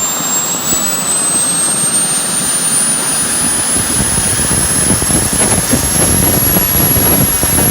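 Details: JetCentral turboprop turbine on a test run, with a temporary wrong-size propeller: a smooth roar with a high whine creeping upward as it spools; it runs strong.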